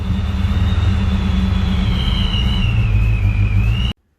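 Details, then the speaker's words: Supercharged Fox-body Ford Mustang after torquing down the loose upper intake that caused the vacuum leak: vacuum restored, a steady, rock-stable idle rumble with a thin high whistle, no hunting or surging; the engine runs great. "So we're back up and running. Car seems like it runs great."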